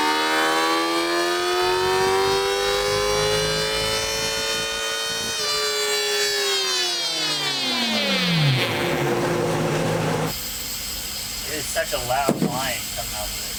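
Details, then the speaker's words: Stock Kawasaki ZX-10R, newly broken in, on a baseline dyno run: a loud high whine climbs with revs on the pull and falls away on decel. The riders suspect transmission gear whine, never heard on other, non-stock bikes. Cause unconfirmed. "Yeah, that almost sounds like gears, like the transmission gears are winding on it."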